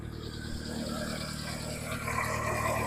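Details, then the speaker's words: Jump-started car (described as a hybrid) after belt tensioning, running with the alternator said to be working: even, steady idle with a smooth low thrum and no knocks or misses; normal idle. "Alternator's working like it should. Everything's connected, running great."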